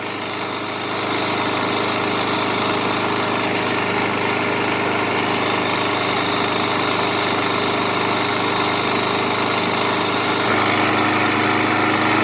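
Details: Kohler 149cc small single-cylinder engine after reaming a blocked passage to cure oil blow-by, warmed to normal temperature, running without air cleaner cover: steady, even idle with no misses or knocks; sounds healthy.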